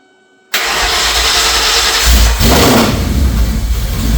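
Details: 2004 Mercury Marauder, low mileage, at first start after 7 years sitting, with a fully forged supercharged 03-04 SVT Cobra engine swap; a crank problem (neutral sensing) was thought to be sorted. Cranks, catches at once and settles into a strong, even V8 idle.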